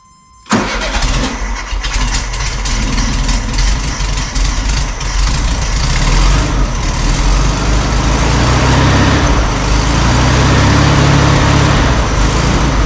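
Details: 1972 VW Super Beetle, first run after about 20 years in storage, after carb cleaning: brief crank, catches cleanly and settles into a steady, even idle with a firm low rumble.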